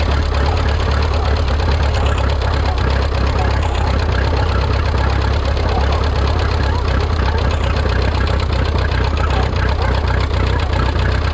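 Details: Rebuilt Minneapolis Moline 335 tractor engine, warm (gauge about 140°), tappet gaps readjusted warm: heavy idle chugging unevenly, beat stumbling instead of running clean, not firing quite right; sounds like retarded timing causing rough running.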